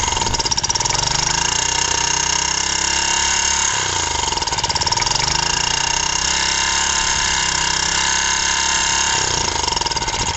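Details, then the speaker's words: Honda G100 generator engine with a chunked piston, two broken rings, a worn oil ring, a scored bore and almost no compression: loose rattling piston slap as engine speed sags and recovers; a new piston and rings came later. "I'm next to no compression well look at that I wouldn't say there was compression there but she ran oh my God what a noise that was a lot of piston slop"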